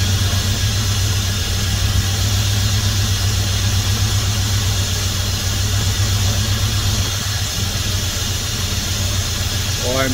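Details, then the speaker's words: 1971 Dodge Coronet police car, 383 big block with 4-barrel carb, first start since the early 90s after new plugs, wires and an oil change: deep, even rumble at idle, no misses or knocks, 60+ psi oil pressure; normal idle. "just tickled by that listen to that thing purr [Music] and it's still running 60 plus PSI of oil pressure which is awesome"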